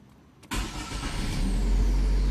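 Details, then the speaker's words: 2011 Chevrolet Prisma after repair of starter grinding on cranking: brief crank, engine catches at once and settles to steady idle with no grinding; fault usually just starter lubrication. "Lembrando, esse problema, quando dá esse barulho, se alguém te falar alguma coisa diferente, desconfia, tá? Esse problema normalmente é só lubrificação."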